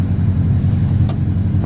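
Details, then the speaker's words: Beater car started after reconnecting the battery, oil unchecked; low, lumpy idle with an uneven beat; owner says it's still misfiring badly and suspects a broken manifold. "it sounds like it's still misfiring oh yeah absolutely horrible"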